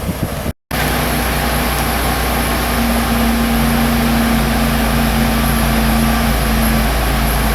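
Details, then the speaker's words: 2008 Pontiac Torrent after A/C condenser replacement and recharge: steady engine idle with an even compressor hum as the A/C kicks on, no rattles or squeals, vent temperature falling; normal A/C operation. "oh I just heard the pump kick on so kick it on"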